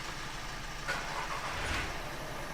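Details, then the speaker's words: Skoda Fabia diesel at idle: steady, even clatter with no rise and fall in revs; engine now quiet and running smoothly. "चलो भाई भाई engine पूरा गूंगा कर दिया।"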